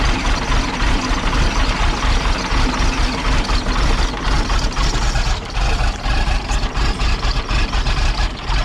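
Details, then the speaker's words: Project 114 diesel, started after sitting a day, with leaks and pipes being worked on. Loud, deep idle with an uneven, lumpy beat that surges and dips. Owners suspect one cylinder isn't getting enough air, causing a misfire; not confirmed. "it might be why it's misfiring it might not be getting enough air to one of the cylinders"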